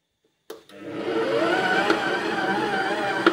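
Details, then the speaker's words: Aceline PM-1561 new mixer, first speed, about 114 W, mixing dough: steady motor whir with a sharp click about every 1.5 seconds, faint crackle with thin batter growing louder as dough thickens; source somewhere in the housing. "Вот такие щелчки он делает. Сейчас сначала было некое маленькое такое меленькое потрескивание, когда было совсем жидкое тесто."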